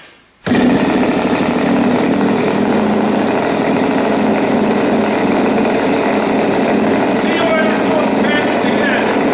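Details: Turnigy TP31-T 31cc twin-cylinder gas engine with CD ignition and Walbro carb (3.7 hp at 8500 rpm), on its first run after a finger-flick start: a loud, steady high buzz with no misses; runs normally.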